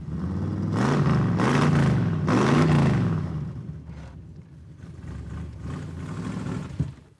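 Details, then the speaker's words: Big-block 1980 Chrysler Mirada Pro Street car, just started and not yet warmed up. The V8 revs unevenly, surging and stumbling between blips, "sounds like a motor home". Rough running; possibly it needs to warm up, cause unconfirmed. "it sounds like a motor home but it looks like a race car kinda"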